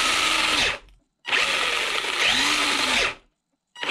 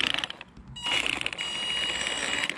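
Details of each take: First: Maverick Phantom XT 1/10 RC stadium truck, on the bench after motor refitted and gear mesh reset to cure a rubbing noise from sand and debris: high even whir in short bursts, clean stops, no scraping. Normal motor and gear run. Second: Maverick Phantom XT 1/10 RC monster truck after hitting a big stone while running on sand. A high motor whine with rough, ratchety grinding bursts as it spins up comes from the gearbox/spur gear, likely from a stone caught in it.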